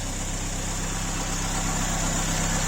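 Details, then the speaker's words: Ford Escort MK2 barn find unused 27 years, revived on fresh fuel with block filled with water, running outside: steady even low idle with no misses, knocks or puffing, blow-by gone; normal idle. "I just filled the block up with water for now and got it outside and it is idling away sweet isn't it sounds absolutely perfect"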